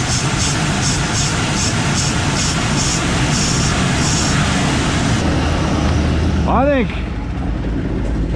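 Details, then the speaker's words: 1958 Chevy Biscayne V8, first run after years of neglect, 1¾-inch exhaust, possibly old fuel in the tank: a deep, uneven, lumpy idle with no clear miss, apparently firing on all eight but running pretty rich; oil pressure about 35. Rough idle, cause not confirmed. "i really think all this thing needs to do is just sit here and run you may put actual gas instead of whatever's in it but it still runs pretty rough but i think it's hitting on all eight it's pretty rich"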